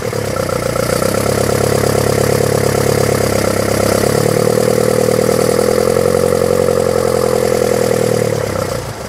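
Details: 1974 BMW 520, manual, carburetors and points: starter triggered by hand via a wire on the solenoid terminal gives a steady whir that builds into an even running note and holds; engine starts normally.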